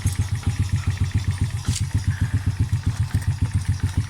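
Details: Long-stored motorcycle after carburetor removed and clogged low jet cleared by heating and poking with fine wire: small single ticks over evenly, crisp regular low thumps about eight a second, no misses; healthy steady idle.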